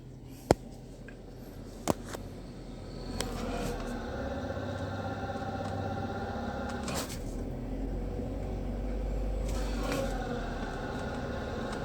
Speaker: menginjak pedal kopling ada suara yang aneh muncul